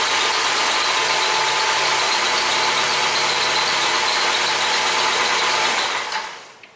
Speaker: Well, this vehicle here has a worn out serpentine belt, and it has the very classic, chirping sound. Sounds like a little bird stuck under your hood. Just keeps chirping and carrying on.